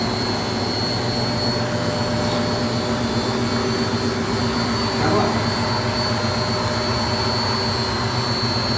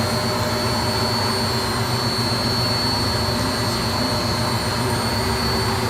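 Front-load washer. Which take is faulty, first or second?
first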